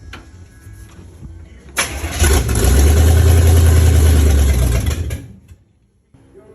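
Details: 1951 Chevy 3100 build, temporary wiring just done: steady starter churn for a few seconds, then the engine catches and runs briefly before dying off, firing on first try; cranking and first start.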